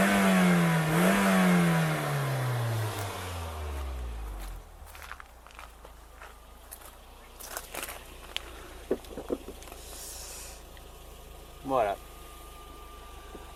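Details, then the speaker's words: Toyota Yaris first generation 1.5 TS after rear silencer repair with clamps and aluminium adhesive tape; throttle blip falls away cleanly, smooth even exhaust, no more rally-like noise heard after the earlier bang; normal exhaust note. "mettre quelques coups de gaz pour vous entendez que le bruit même dans les taux est normal vous allez voir on a plus ce bruit de rallyes qu'on avait"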